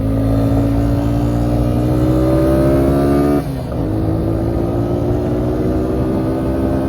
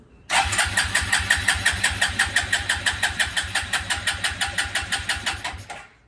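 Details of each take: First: 2000 Suzuki Quadrunner 250 4x4, 603 miles, sat about 2 years, revved after refitting the airbox lid and air filter: even single-cylinder drone, revs climb smoothly, quick throttle dip with clean pickup; running really well. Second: 2000 Suzuki Quadrunner 250 4x4 ATV, fuel on reserve, choke on: steady starter cranking at about three pulses a second for five seconds with no firing. Cranks but won't start.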